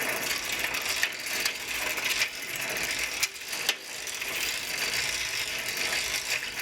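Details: Old Sears three-speed bike with a Shimano 3-speed hub, freshly oiled and turned through its gears. Fast, even, dry clicking from the hub pawls while coasting, with a few louder clacks: a clean, healthy freewheel.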